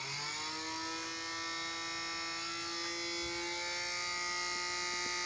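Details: Nintendo Wii making weird noise: high steady whirring whine with a few faint clicks toward the end.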